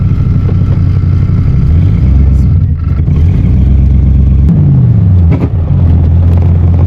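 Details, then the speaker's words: 1984 Corvette with a 350 small block and Holley 1460 carb, warmed up and driving around the neighborhood after timing, air/fuel and accelerator pump tuning: deep V8 rumble interrupted by sharp exhaust pops; backfires remain, though it no longer stalls or stutters much. "Alright, we're making a quick loop around the neighborhood here, and other than some backfires, she hasn't died or really stuttered much."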